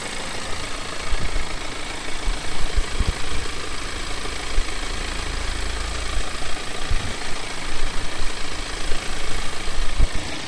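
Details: BMW E91 318d N47 diesel at idle: light, irregular ticking rattle under the clatter; owner asks whether it is timing chain noise, cause unconfirmed.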